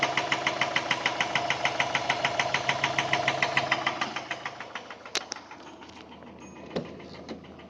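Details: Subaru EJ204 engine running with a sharp metallic knock about twice a second, evenly spaced, fading as it winds down; teardown confirmed a spun connecting-rod bearing on cylinder 1 (rod knock).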